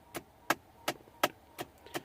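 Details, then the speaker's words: 2010 Ford F-150 passenger-side AC blend door actuator, a cheap Dorman replacement fitted months earlier, gears stripped: steady knocking clicks from inside the dash about three a second; needs replacing. "that's the blend door actuator in here so we've got to replace that"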